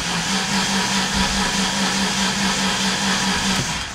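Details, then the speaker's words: 2006 Ford Ranger 4.0 OHC V6, crank-no-start with no codes: steady starter cranking at about 2.5 beats a second with no firing; timing chain jumped teeth and bent a valve. "it's a crank nose start it sounds like maybe the timing change broke or something"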